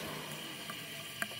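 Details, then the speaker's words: Push lawn mower that spat oil out the carburetor and died while mowing, engine hot and smoking while its oil drains: soft steady sizzle with occasional sharp pops, never seen before; cause of the popping unknown. "Changing the oil. Got this thing nice and hot. It's smoking. Can you guys hear the popping?"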